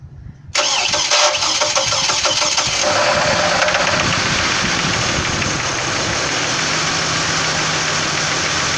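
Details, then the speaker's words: 2006 Chevrolet Trailblazer 4.2 Vortec: engine catches and settles to idle with a loose knocking in the first seconds after start that eases as it runs; owner is diagnosing, cause unknown. "have a 2006 number trouble is a 4.2 vortech some knocking going on not quite sure we're trying to diagnose it so here it is what it sounds like I start"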